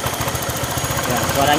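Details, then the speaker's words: Honda Vario 125/150 scooter after replacing the cam chain tensioner under the throttle body to cure a cam chain rattle. Steady, even low thrum with fast regular pulses; rattle gone, engine running normally though it lacks power. "dan masalah bunyi ini sudah sembuh tapi motornya memang kurang jos"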